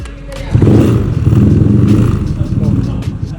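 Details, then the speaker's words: Bore-up high-compression scooter after electrical upgrade (electro boost), battery 12.2 V: one press of starter, quick crank catches at once, steady even idle; voltage stays stable. "Sekali pencet starternya dan voltasenya itu dia stabil ya guys."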